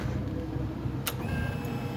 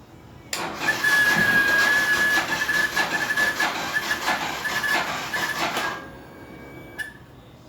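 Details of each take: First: Motorcycle that previously wouldn't start and made a strange pump noise, after a battery replacement (rectifier was not the fault): steady low hum, single click, then faint even whine; normal fuel pump priming, and it starts first try. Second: Motorcycle with ignition on, weak Yuasa battery (not original): harsh buzzing rattle with a thin steady whine pulsing about three times a second from the fuel pump; bike won't start for lack of power.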